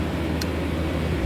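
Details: Kenmore Cool N Lite (GE Carry Cool) window AC, after fan oiling: even low hum with steady airflow, no knocking or rattling; normal operation, cold air, though weak condenser airflow noted.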